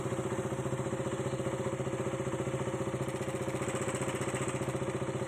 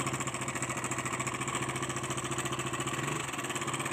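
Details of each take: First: KTM Duke 200cc single-cylinder, timing chain noise problem solved: steady, even idle around three to four pulses a second with no chain rattle or tapping over it; normal idle. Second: KTM Duke 200cc at idle: a light, fast metallic rattle keeps pace with the engine over a steady idle, pointing to a slack timing chain; timing chain noise, problem later solved.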